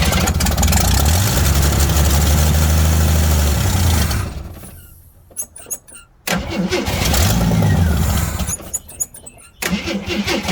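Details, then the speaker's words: 1979 AMC Jeep J10, fuel pump fed directly from a gas can, third start attempt: long steady rhythmic cranking, pause, more cranking before it catches; slow to pick up fuel and prime carburetor, vacuum leak suspected. "uh all right attempt three i'm gonna crank it over until hopefully it picks up fuel so here we go maybe i'm not hopefully i can just prime the carburetor okay"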